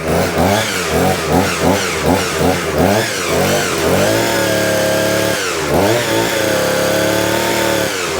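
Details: Vevor two-stroke hedge trimmer after unsticking the jammed blade gear and re-locking the pin: engine revs in bursts, settles to a steady high whine, blades now moving; normal running.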